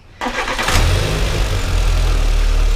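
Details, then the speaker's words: VW Citi Golf 1.4i with over-revving, sticking idle: after throttle body cleaning and a new MAP sensor, quick start and steady even low idle with no hunting or surging; revs return to idle, MAP sensor was the cause. "okay so it's idling nicely okay leaving it up okay it comes back down to its idling so the main pulse was the map sensor i replaced it"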